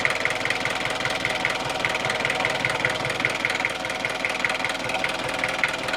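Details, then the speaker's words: Opel Rekord 2.1 diesel barn find that uses oil, idling nicely, recorded at the breather hose: a rhythmic hissing puff about 2.5 times a second. Massive blow-by, suspected from worn piston rings or cylinder walls. "This is not good. There's a massive amount of blow-by on this engine."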